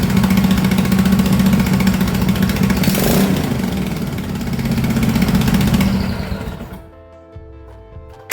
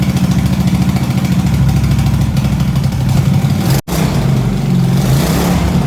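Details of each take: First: MX-1 racing/drift mower engine after valve adjustment, new battery, new fuel pump and 34mm performance carbs: catches quickly, brisk steady beat with clean revs before shutdown; starts easier than ever, healthy. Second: Racing mower single-cylinder engine with new 34mm performance carburetor and fuel system: low throb that sags and stumbles at full throttle but fine throttled slowly; bogs, too lean, different jet possibly needed.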